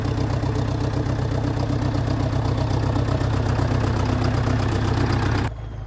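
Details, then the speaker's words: Dresser/International Harvester TD8E bulldozer diesel after replacing fuel filters: even chug at about four beats a second, steady idle without the earlier helicopter sound; filters appear to have fixed it. "Okay, I think the fuel filters fixed it. it would have been doing this the the helicopter sound already."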